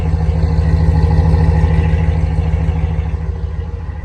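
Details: Ram 1500 5.7 HEMI at idle after resurfacing warped exhaust manifolds, with new gaskets and broken studs removed; steady, smooth low rumble and the exhaust manifold tick is gone; normal idle after repair.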